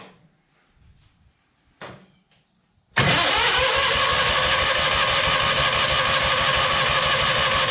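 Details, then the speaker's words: Scrap-yard Hobart welder generator engine on a jump pack, with a battery that won't hold charge: a few clicks, then loud even cranking about three per second that never catches. Crank, no start from fuel starvation, before fuel is dribbled into the carburetor. "uh that's a promising sign we're definitely uh needing a little feel help that's for sure"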